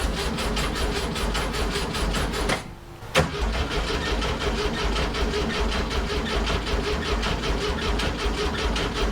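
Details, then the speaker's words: 1967 VW Fastback, ignition module replaced and batteries charging, with gas shot into the carbs: steady starter cranking, brief stop, more cranking, never fires; no spark, failed ignition module, suspected incompatible high-performance coil. "all right she's not starting all right shoot a little bit of this in there and see if that helps"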